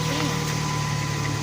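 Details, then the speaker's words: 1998 Dodge Neon, 147,660 miles, just after replacing valve cover gasket, cam sensor seal, spark plugs, wires, air filter and PCV valve: steady even idle with no misses, ticks or knocks; sounds fixed. "sounds good. Let it run for a few minutes and we'll take it for a spin. Okay. Yeah. Sounds pretty good."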